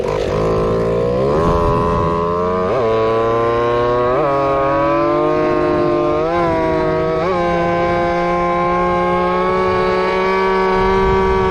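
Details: Two-stroke RC Big Foot near top speed, 28 mph, something squeaking (fender possibly rubbing): buzzy note wavering with brief dips and recoveries; needle likely set just too lean, to be richened slightly.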